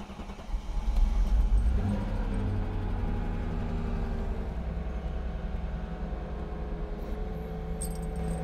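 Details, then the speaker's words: Mercedes R230 bought cheaply from Copart, starting during maintenance work. After a brief crank the engine catches with a quick rev, then settles into an even, steady idle without misses or knocking. "Let's listen to the engine. Look at that. She's alive."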